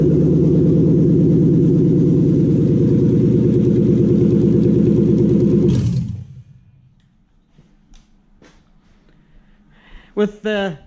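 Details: Toyota UCF20 1UZ-FE VVT-i V8, freshly prepped for a hot rod after cam belt, water pump, crank seal, thermostat, idlers and loom connector plugs were replaced: smooth, even idle with steady beat for several seconds, then shutdown; engine sounds healthy.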